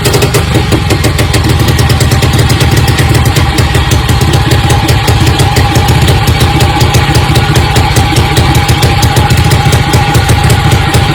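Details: Quick, even single-cylinder beat from a restored 1953 MV Agusta 175 CST four-stroke with about 3000 miles, holding steady behind loud background music; it runs smooth and healthy.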